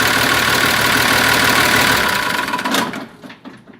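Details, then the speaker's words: Massey Ferguson 1200 turbo diesel tractor after repairs and bleeding the fuel system: steady diesel clatter at idle with no rubbing or scraping, then shut off cleanly; good turbo oil flow, alternator not charging. "Let it tick over. That's got a good flow of oil through the turbo."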